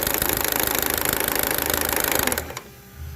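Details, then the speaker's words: Chevrolet Cruze LT running: rapid clattering rattle from the front timing gears, stopping abruptly at shutdown; worn intake-side cam phaser gear. "bueno Al escuchar bien el que nos está haciendo ese ruido extraño es el engrane el lado admisión"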